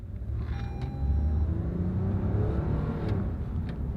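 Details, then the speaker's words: Road test after replacing a worn wheel bearing (hub nuts torqued to 80 ft-lb), recorded with the window rolled up. Only a soft, low road rumble, with no roar or growl building with speed. Normal wheel bearing. "no more roaring wheel noise"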